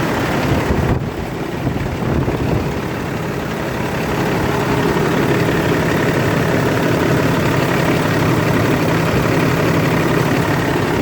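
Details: Kenworth diesel truck unused for a long time, fuel filter/water separator suspected packed and leaking: catches after a brief crank, then steady even low rumble at idle with no misses.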